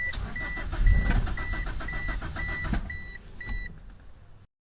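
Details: 1997 Mitsubishi Eclipse RS 420a, manual, fuel pump primed, no spark cylinders 1 and 4: steady cranking about three and a half turns per second with repeating chime, never catching; both camshafts out of time.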